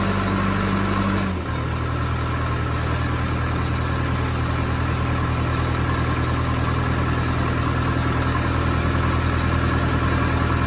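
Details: Case 450B dozer, 207 diesel, just after the injection pump was removed, timed and reinstalled: fast, steady idle with heavy even drone. Idle sounds a little high and the pump will probably need adjustment; the oil also has some fuel in it.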